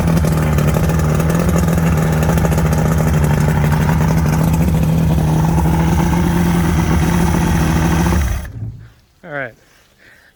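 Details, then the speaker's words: 1979 Johnson 90 hp V4 Seahorse two-stroke outboard, run in neutral, telltale plugged; smooth, steady buzz at constant speed, no misfires or rattles, before shutdown. Runs good, could use plugs and a clean-out. "i say that runs good probably could use some plugs and stuff but and use a good running too good and cleaned out but i'd say that's success"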